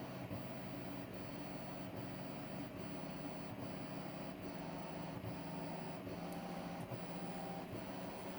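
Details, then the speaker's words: DMM DYN2 servo (57N-DHT-A6TD1 3Nm motor, 2000 pulses per revolution) on CNC axis at about 120 inches per minute and ramping; low soft even hum, no clicking, stutter or grinding; running smooth and quiet. "now notice how quiet this is that's that's the first thing that it's going to jump out at you also notice how much less this motor jumps around on the table"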